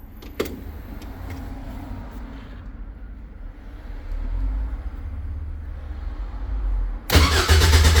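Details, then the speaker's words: Caterham 7 620S sat overnight, cold start attempt: starter churns in a steady low whirr, about three turns a second, for several seconds, immobilizer light flashing, fuel pump primes, but the engine never fires; cranks, no start, cause unconfirmed. "So that flashes a lot. And no start. Put this by it. Fuel pump primes right away. Nothing."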